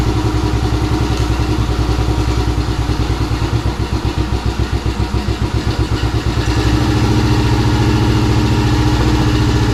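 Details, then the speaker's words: 2017 Kawasaki KFX50 kids' ATV that sat for years, now starting after the petcock was switched from reserve (no flow) to on: small single-cylinder idling with an even, quick thump and slight clatter. Idles fine but won't take throttle; suspected dirty or small main jet, or restricted petcock. "okay so we made some progress obviously it starts and runs now"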